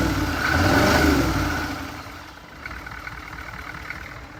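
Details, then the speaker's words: Chevy 6.2 diesel newly swapped into a 1983 K5 Blazer, intake not yet fitted: quick rev swells and drops back to a steady, smooth, even diesel clatter at idle; runs very good, engine sounds healthy. "Need to put the intake on. I runs very good for what it is right now."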